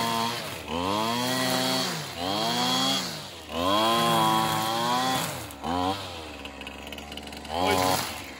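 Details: Older Husqvarna 225L straight-shaft trimmer after a new carburetor and tune-up, cutting weeds: a crisp two-stroke snarl revs up and down in repeated bursts without hesitation; runs healthy.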